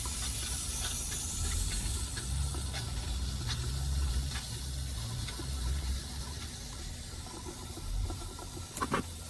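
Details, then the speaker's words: Old fire sprinkler dry pipe valve being slowly pressurized: low steady hiss and rushing water under the clapper, no clunk; normal slow pressure build, system not tripped. "Okay, now it's starting to build pressure and I'm just taking it really slow."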